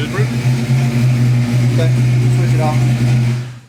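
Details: Custom-tuned Foxbody Mustang after sorting its occasional idle swings: a steady, even low rumble at a settled idle with no hunting, surging or misses; a normal idle.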